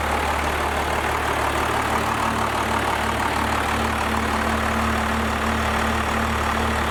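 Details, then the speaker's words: First-gen Cummins diesel with 4-inch straight pipe, just after advancing injection pump timing: loud, steady idle with deep even beat and low drone, tone seemingly raised a tad after a couple seconds running. "I almost want to say at first when it started up it sounded exactly the same, but after it ran for like 2 seconds I do want to say the tone did change a little bit. It did sound like it bumped it up a tad."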